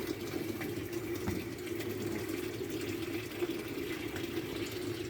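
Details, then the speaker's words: LG Turbo Drum washing machine after a damaged transmission was replaced: steady hiss of water filling the tub over a faint low hum; normal water fill. "ya está llenando. Esperemos que arranque."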